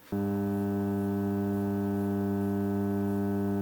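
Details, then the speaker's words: Onkyo 806 AV receiver, faulty, at power-up before any music plays: a steady low hum with a buzzy edge comes on and holds unchanged, mains hum leaking into the speaker output. "Okay, it's coming up. Okay, I can already hear some uh hum."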